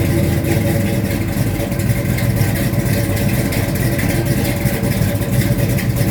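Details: 1972 Mustang Mach 1, rebuilt 351 Cleveland Cobra Jet V8 with Wolverine Blue Racer cam (510/536 lift, 290 duration), cold; choppy uneven-beat idle with gentle rise under light throttle, no knocks or rattles; normal lumpy cam idle.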